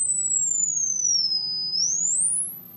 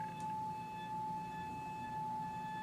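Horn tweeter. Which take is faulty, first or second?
second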